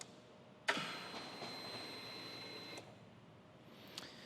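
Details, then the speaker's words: 2003 Harley-Davidson Softail Deuce with 400 miles, cranks but won't start: ignition on, faint click then a steady high whir for about two seconds as the fuel pump primes normally, about 60 psi running and holding about 55 psi. "So I'm gonna turn on the ignition. We should hear the pump cycle and we should get a reading on here, hopefully in the 55-pound kind of range."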